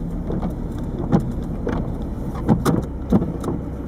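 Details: 1998 Peugeot 306 turbo diesel, over 160,000 miles: irregular dull clunks and rattles bunched together when pulling away, worst dumping the clutch in 1st and also under throttle in 2nd/3rd. No exhaust fault found; owner suspects a worn lower engine mount bushing, unconfirmed.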